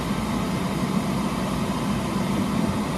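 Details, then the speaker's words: 12V roof-mounted air conditioner, heard from outside: steady even rush of air with a faint low hum, no rattles or squeals; the noise is just airflow like a fan on full blast, normal running, blowing very cold. "I mean, the noise from it, of course, is basically just the fact that it's blowing a lot of air. It's like a fan on on full blast."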